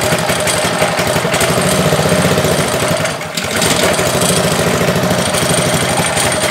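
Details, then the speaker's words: Ryobi pressure washer with Honda engine, about a year old, no-start after off-season (suspected carburetor gummed by old ethanol fuel): after starting, uneven beat with a brief sag, runs a little rough at first, cause unclear. "oh it starts seems like it's running all right so ran a little rough at first um i'm not sure what that is"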